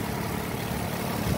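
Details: 2007 Nissan Altima SE 3.5 V6 with 6-speed manual, left-side collision car at a dismantler, running: quiet, even idle with a steady low hum and no knocks or ticks; the engine runs fine.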